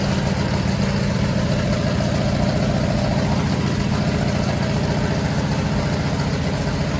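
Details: 500 stroker big-block Mopar on a run stand at its first start, after timing was advanced following a backfire through the carburetor: a loud, steady V8 rumble at fast idle with even firing and no backfire or popping.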